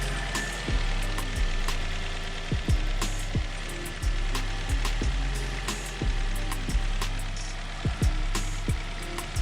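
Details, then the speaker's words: Daily-driver car with 180,334 miles, cold start with raised idle rpm, before trying a Liqui Moly Ceratec additive: fast cold idle with a light, uneven top-end tapping the owner wants to get rid of; cause unconfirmed. "It runs really well, but it never has an issue starting up or anything, but you can kind of hear some of the tapping in there. And I just want to try to get rid of that."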